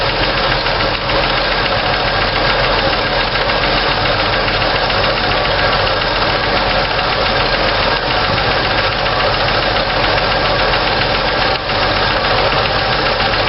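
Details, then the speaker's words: 1964 Chevy II idling while valves are adjusted with the engine running: a fast, light clatter from a loose rocker with excess valve lash fades as the nut is tightened to preload the hydraulic lifter. The valves were found out of adjustment, apparently cranked down too far. "tighten it down a little bit and it goes away a little bit more for preload on the uh hydraulic lifter"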